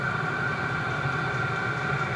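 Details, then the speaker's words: VEVOR diesel heater, first startup once fuel reaches it: a steady fan roar with faint rhythmic fuel pump ticking and a constant whistle, exhaust visibly smoking. The heater lit and runs normally. "Sounds like it's speeding up, so. Yeah, it's really pumping the shit out of it. Oh, the exhaust pipe's just chooching. Oh yeah, you can see the exhaust coming out"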